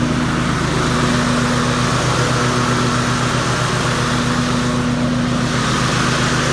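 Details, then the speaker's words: Cub Cadet RZT 50 with Kawasaki FR691V 23 hp V-twin, after replacing deck spindles/pulleys and blades for a knocking sound: loud, steady drone with even beat, no misses or knocks, running smoothly. "all right it appears to be running very smoothly"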